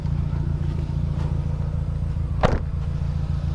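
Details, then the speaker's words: 2008 Nissan Grand Livina automatic idling right after starting; steady, even low rumble with one brief bump, no knocks or misses; vibration normal, exhaust good; normal healthy idle. "Tapi ini normal. Nah, getaran biasa ini pembuangan angin masih bagus sih."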